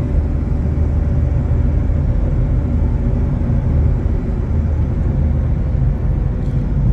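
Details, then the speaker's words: Chevrolet S10 pickup while rolling; deep steady rough roar from a front wheel hub bearing that is nearly seizing and affecting the steering wheel; exhaust manifold gasket also found blown. "Conseguiu ouvir rolamento do cubo dianteiro está praticamente travando o volante aqui tá rostinho"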